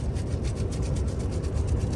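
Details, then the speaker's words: Volvo FH truck steering clock spring, removed by owner because of the noise: quick repeating chewing-like plastic scraping every time the wheel turned while maneuvering; horn also sounded by itself; clock spring rubbing. "ele ficava fazendo esse barulho toda vez que eu ia manobrar mas um barulho chato tipo mastigando mastigando plástico"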